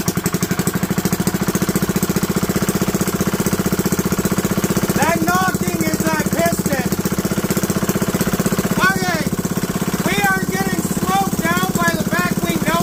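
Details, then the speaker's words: Small single-cylinder engine (GX200/Ducar 212/Duromax 208 type) with a 3D-printed side cover, choke on: a rough run with a hard, regular knock on every firing stroke; bad piston, piston knock. "it has a bad piston in it. I'm going to open this, which unfortunately is going to mess things up a bit, but then we're going to rev it."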